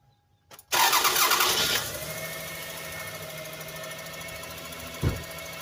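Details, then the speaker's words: 1999 Toyota Sienna with codes P0300, P0301 and P0302, starting and settling to an uneven idle with a faint irregular tick and stumble. Cylinder 2 shows about 5–10 psi compression versus 180 psi elsewhere, with a suspected valve problem. "all right let's start right up so um i would i suspect it was the wow because there was some mechanical noise going on in number two cylinder"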